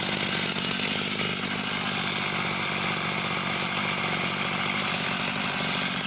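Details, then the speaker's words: Husqvarna two-stroke chainsaw, unknown model, restarted with cover off: even buzzy idle, steady pitch, no stumbling; ticks over cleanly, but no oil feed to chain. "oh so seems to tick over nice and steady and yeah there's definitely no oil there's no discernable oil coming out coming out"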